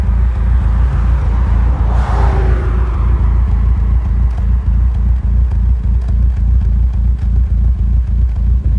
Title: Audi s3 rough idle